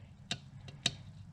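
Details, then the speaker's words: 1987 S10 with a 327 V8, a 1992 NV3500 and a new clutch kit, with a stiff clutch pedal: sharp dry clicks about every half second as the clutch fork is turned by hand and catches in a deep worn groove on the press-in pivot ball. "It wore in such a big groove where it's been riding that I think it's getting caught up in itself,"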